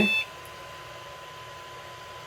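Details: Dumpster-found Pentium 3 motherboard powered on after fitting a new BIOS battery: a single short high beep at power-on, then only a faint hum; normal POST beep, board passed self-test.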